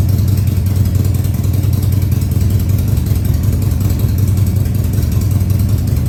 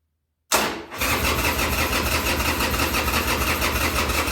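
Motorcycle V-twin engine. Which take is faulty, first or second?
second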